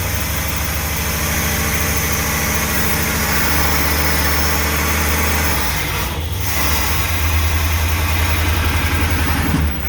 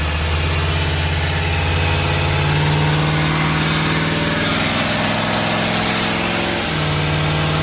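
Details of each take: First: Old motorhome V8 on a road test: deep, even rumble holding steady for most of the clip with no misses or stumbles; running smoothly, though it quits shortly after. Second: Old motorhome engine being brought back to road-ready after brake and motor work; very loud, rough running with an uneven throb and a sudden dip in pitch, sounds funny; sparks from the exhaust, a rag caught fire; cause undetermined.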